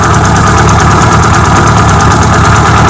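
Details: Carbureted car with mechanical fuel pump and HHO system, idling with HHO producing and low amp draw; loud steady low-pitched idle, even pulse, no stumbles or knocks. Normal idle.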